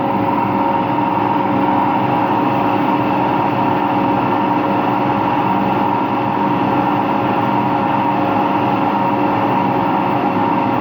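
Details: Washing machine on an empty rinse-and-spin cycle: loud, continuous roar with a faint tone on top at high speed; owner suspects both motor and drum bearings are worn, no leak seen.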